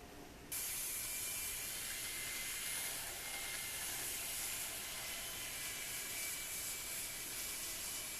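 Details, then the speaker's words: Minitrix class 03.10 N-scale steam locomotive motor running: steady high-pitched, vacuum-like whine with thin airy hiss, no grinding; noticeably loud, the most disappointing quality. "the noise level to me isn't that great so I'm giving it a three that might be even generous because it is kind of loud and probably the most disappointing quality of this thing is is the noise level"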